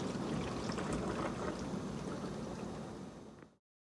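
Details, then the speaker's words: Miele Incognito dishwasher cutting out early with flashing red intake/drain light error: circulation pump rushes and swirls water a few seconds then abruptly stops, repeatedly; pump cutting out. "And you can hear the circulation pump run, then it cuts out, run, cut out, run, cut out. So something's wrong with the pump."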